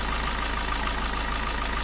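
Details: Suzuki Ertiga common-rail diesel, after an engine teardown for a cracked oil passage to the vacuum pump that leaked pressurised oil: steady, even idle with light regular clatter and no knocks or misses; sounds healthy.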